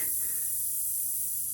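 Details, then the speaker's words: 1992 Miata rear tire, old and cracked, after a gravel burnout ripped a nail out: a constant high airy hiss that doesn't pulse or change as air escapes steadily from the puncture. "did a burnout on the gravel must have knocked something loose cuz now we got a"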